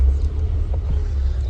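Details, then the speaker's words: Renault Sandero bought at auction, first drive after fitting a new clutch cable and sorting the clutch pedal: steady low engine rumble with an even pull and no knocks or rattles; engine has power and runs normally. "It has power. It sounds like NP200."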